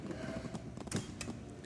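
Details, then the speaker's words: 2011 Harley-Davidson Road Glide FLTRUSE, 31,692 miles, power lock switch on the fairing switch cap pressed: brief whirring clicks from the small lock motors; the power lock actuators are engaging normally. "you can hear the motors engage when i press the button indicating the locks do work"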